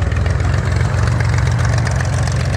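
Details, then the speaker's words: Corvair-powered buggy, fully warmed up, fresh oil after the old oil was diluted with gasoline, Edelbrock electric fuel pump. Idle lowered from the high break-in setting gives a low, smooth, even burble with no hunting. Normal warm idle. "the idle's fine I turned I turned the idle down you said a month or so ago the idle was set High which I did purposely set it high just cuz the engine was breaking in"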